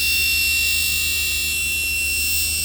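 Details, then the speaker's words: Jaecoo J7 ventilated passenger seat: constant high-pitched squeal as soon as the seat fan runs, over a low hum; a child-pocket hook was found stuck into the fan under the seat. "Jayco J7, заявка клиента, что когда включаешь вентиляцию пассажирского сидения, происходит визг. Включаем сиденье, включаем вентиляцию. О, действительно визг есть."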